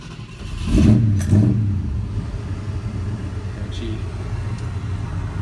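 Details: 1972 Ford F-250, stock engine and cam, C6 automatic, warm start after running 10 minutes earlier: quick crank, catches with a brief throttle blip, then settles to a steady, even, low V8 rumble; a healthy warm idle.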